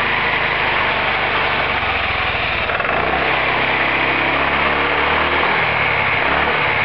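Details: Roketa MC-54-250B scooter, 1730 miles since July 2008, stalls at every stop. Small single revs unevenly, its speed hunting and sagging with ragged firing, running rough. Cause: intake and exhaust valves had zero gap at TDC; fixed by valve adjustment.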